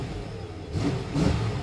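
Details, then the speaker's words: Salvage-auction car with 350 LT1 V8: quick throttle blip rises cleanly and settles back to a smooth, deep rumble with no knocks or rattles; engine sounds healthy, normal rev. "she sounds good good old 350 man lt1 similar to the corvette engine of this era"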